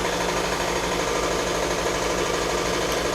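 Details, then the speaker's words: Air compressor in a bicycle workshop running its normal daily cycle, kicking on around nine o'clock; steady, busy mechanical chatter with a constant drone and no change in pace. "it's my air compressor it's nine o'clock every day"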